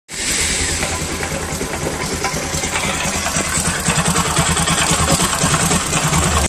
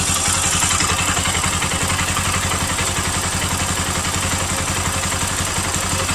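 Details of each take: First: Bajaj Pulsar NS200 single-cylinder motorcycle idling with a busy, uneven clatter over the low firing beat; abnormal engine noise, one suspected cause being a camshaft bearing, not confirmed. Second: Bajaj Pulsar NS200 single after replacing a failed camshaft bearing and roller plus all gaskets: even, steady idle with a regular beat and no metallic rattle or knock; engine healthy.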